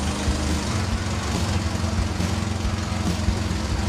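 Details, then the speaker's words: Dodge Dakota after tune-up with new plugs, wires, cap and rotor, plug wires corrected to proper firing order: steady, even low rumble with no stumbles or misfires while warming up at idle. "the truck's running good now it's not misfiring or anything like that so I think we're good"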